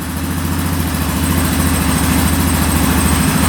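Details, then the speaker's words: 2009 Yamaha Grizzly 550 EFI ATV after fixing loose wiring and an intermittent fuel pump: smooth, even single-cylinder idle with no misses or knocks, not idling up; engine light on, air box off. "She's running good, not idling up yet. We'll see if the throttle works."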